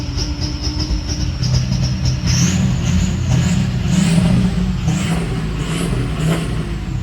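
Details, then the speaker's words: Ford 6.0 Powerstroke diesel warming up, free revs: revs climb in uneven, ragged, stumbling surges and sound out of time; no cam fault logged while it happens; rough running when revved, cause unknown. "I mean, it'll rev, but it just kind of sounds like it sounds like it's out of time, doesn't it?"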